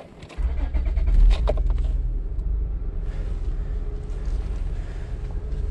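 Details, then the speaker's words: Van after the power steering reservoir was filled fully and bled of air: the engine idles steadily with no whine, so the fluid is not foaming. Before the fix, steering was very bad. "all right yeah that's a lot better than it was last time but i did fill up that reservoir all the way this time doesn't sound like it's foaming up because you would hear it whining"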